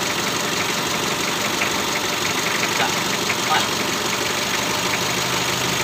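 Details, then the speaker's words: Mitsubishi L300 diesel at idle after adjusting injection pump timing to cure white exhaust smoke from incomplete combustion; steady even idle over hiss with no knocking or ticking; white smoke gone, running healthy. "Alhamdulillah ya untuk asap putih yang hilang untuk suara Ngetiknya nih tidak ada yah"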